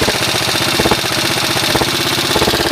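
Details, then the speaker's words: 1983 Honda XR80 with a $150 eBay transplant engine idling briskly, a little valve noise, no smoke. A sharp, rapid puffing tick rides on every firing pulse. Owner hears an exhaust leak and suspects a bolt is out. "Really sounds good. I got an exhaust leak here."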